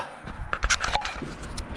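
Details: VW T5 van in the workshop: sliding door travels with a rough scraping drag broken up by several sharp clunks; something in the sliding door runner binds, cause unclear; owner says it should not sound like that.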